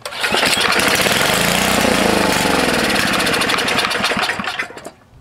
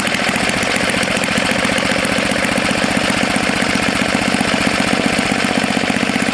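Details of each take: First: Tecumseh HS40 engine, about 4 hp, sat unused for years; long pull-start cranking with uneven rattling chuffs that never catch and run, choke full, gas poured in; dirty carburetor starving it of fuel. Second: Tecumseh HS40 4 hp engine, long stored, after cleaning a clogged jet and setting the screw about a quarter turn out: steady, even rapid beat with no hunting or surging; runs cleanly, normal running.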